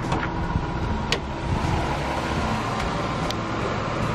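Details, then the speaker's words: 1996 Toyota All New Corolla, a used car being checked before purchase with the hood open: even, low, smooth idle with faint handling clicks, no odd or excessive noises, a normal idle. "Yang pertama harus kita cek itu suaranya guys. Kita dengar suaranya masih halus ya. Jangan sampai ada suara-suara yang aneh-aneh, yang berlebihan lah."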